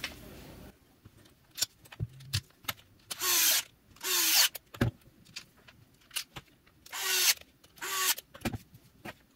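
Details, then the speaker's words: Milwaukee M18 Fuel die grinder, brushless, reported high-pitched sound and burning smell, reassembled during teardown: short high-pitched spin-ups with a rough scratchy edge; something inside still rubbing, apparently related to how the front face is tightened. "[Applause] it's definitely rubbing again [Applause] definitely something still rubbing"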